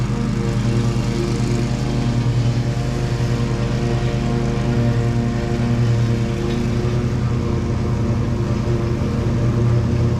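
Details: Exmark Pioneer zero-turn mower after deck belt reinstalled (popped off hitting a stick), oil change, service and new air filter: steady low drone with no slipping squeal or belt slap; belt stayed on, not warm, pulleys quiet; runs healthy.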